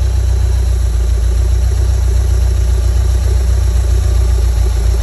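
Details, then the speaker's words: 1987 VW Vanagon Syncro Westfalia flat-four petrol engine, parked since 2001 and just reinstalled, idling with a deep, steady, even thrum, no knocks or misses; described as smooth as these engines get. "at how smooth it is. They're never that good. No, that's a nice. That's as good as they. It's literally as good as they get."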